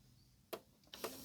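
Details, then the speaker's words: Lennox CD radio after repair of a stuck tray caused by a slipping drive belt, with the tray possibly misaligned from being forced. Two crisp clicks, then a short smooth motor whir with no slipping: the tray closes normally. "Will it open? Open. Close. Is that one? Oh, there we go. Beauty. It's working. Will it close?"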